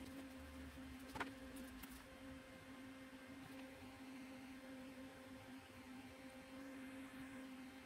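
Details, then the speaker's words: Stock CPU cooler fan on an open bench under a Cinebench R23 multicore load, CPU around 84–90°C: a quiet, constant airy hum with a steady tone at full speed. It sounds normal. "and it is pretty loud actually when you put it inside a case behind temper glass you're not really going to uh hear"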